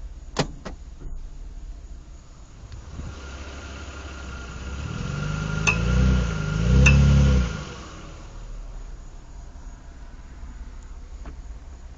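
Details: 2007 Mitsubishi Eclipse pulling away from a stop: a few sharp clicks as the engine note rises, louder when reversing uphill; worn left front drive axle CV joint, cured by replacing both drive axles.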